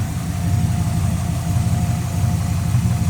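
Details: Engine idling after power steering pump replacement, power steering working, fluid low but no aeration: even low idle with steady beat, no whine or groan from the pump; engine and steering healthy.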